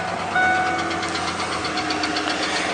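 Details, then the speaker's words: Truck with 197,000 miles and a V8 running: light, fast, even ticking, about five a second, that doesn't get louder or quieter whether cold or warm. Source of the tick undetermined. "you can kind of just hear that ticking it doesn't get any louder when it's cold or warm it doesn't get any quieter doesn't change"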